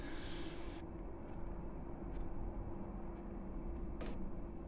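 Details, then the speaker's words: Diesel heater after accidental wrong power connection and error codes E-3/E-6, fixed with swapped motherboard: quiet steady fan hum with soft fuel-pump tick about every second; normal running. "hey the pump started [Music] ticking yeah that's that's going to be fine that's going to be fine there that's how it normally [Music] sounds"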